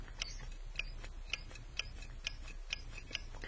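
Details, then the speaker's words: Furnace draft-motor pressure switch, actuated by sucking on its hose: faint, sharp clicks about twice a second as the switch snaps open and closed, working as it should (should be open at rest). "you can hear there's a switch in there that clicks on and off in its current state it again should be open"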